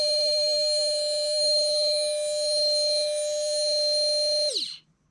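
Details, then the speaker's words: Brushed motor in an airsoft DSG M4 V2 gearbox, shimming test: steady even high whine with thin hiss, winding down smoothly. Brushes skipping over commutator gaps plus bearing noise; spectrum shows a peak near 600 Hz. Normal brushed motor running. "especially on a brushed motor, you'll have the two brushes back here constantly skipping over the gaps in the commutator. That makes noise as well."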